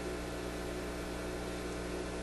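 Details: Koronette console stereo with no output from radio or auxiliary inputs: touching the driver plate injects a steady low mains-like hum with no program, showing the output stage still responds.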